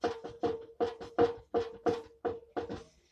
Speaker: here we can see an LG direct drive washing machine which does have a worn bering hint in the drum and how to determine if the bearing is too much worn you have to open it and then put your hand inside and then lift the drum you can hear the sound